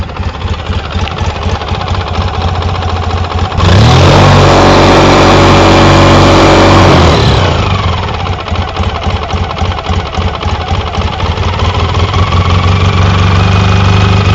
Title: Engine knock 2